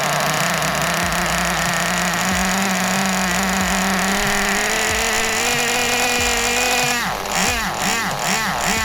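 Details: 2001 Kyosho Pure Ten V-One S nitro RC car, 20 years old, first start after restoration with engine primed: small engine buzzes at a high, fairly steady pitch, then blips up and down; it starts and runs.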